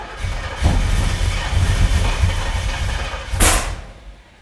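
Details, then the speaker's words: Roughly 600 hp big-block Chevy in a C10 squarebody, fire-up on an old starter: rough, lumpy firing with sharp pops and flames; spark plug wires for cylinders 3 and 7 were switched. "Keeps doing that. Going to look at it now. It's shooting fire."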